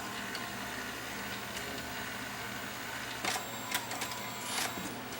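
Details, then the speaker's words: Toshiba VM42 Betamax VCR, about 40 years old, with its motor just refitted, loading a tape. Low motor whir, then sharp irregular clicks and rattles, probably from a cracked gear, but the tape still loads without jamming. "I don't like the sound of that, but it's not jamming not. Okay, that's in. It's probably going to make that noise because there's a crack on that gear."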